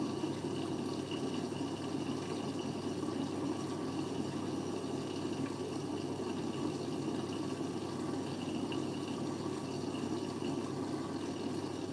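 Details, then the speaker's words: Siemens 9 kg washing machine, Eco 40-60 with an 8.35 kg full load: steady hiss of water entering through the i-Dos dispenser with no pump hum or knocking; normal fill. "Okay. So now it's flowing through the IDOS bit again."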